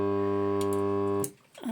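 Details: 1980 Sharp Optronica SM-30 amplifier gives a loud steady mains hum with even overtones right from switch-on despite replaced capacitors and bridge diodes; suspected power-supply circuit bleeding into audio, unconfirmed.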